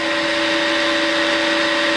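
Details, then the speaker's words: Combination milling machine's 3-phase induction motor after rotor bearing replacement (with mismatched bearings), horizontal spindle running, recorded on a lapel mic: a steady, even hum with two constant tones, about 78–79 dBA. It sounds much improved, with no rumble. "if we look at the dba meter we're roughly bouncing around 78 79 db you know i must say it sounds a lot happier"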